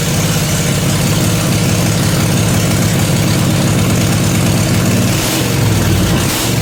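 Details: Briggs & Stratton 16 hp 479cc Vanguard V-twin in an off-road go-kart, straight-piped, after carburetor deep-cleaned: loud open-pipe burble holding fairly steady idle with brief wobble near end; runs really good.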